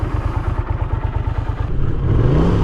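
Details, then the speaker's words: 1982 Honda GL500 motorcycle after sealing cracked intake manifolds with heat shrink: even regular idle pulses about twelve a second, then a clean rev blip, no hunting or air-leak hiss; idles perfectly, intakes sealed. "So this thing, no matter how hot it gets, idles perfect. And that is definitely a telltale sign that the intakes are sealed as they should be."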